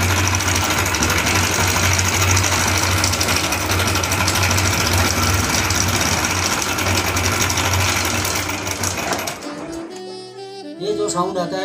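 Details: Hero Honda Passion motorcycle idling with a fast, dry sewing-machine clatter from a slack timing chain.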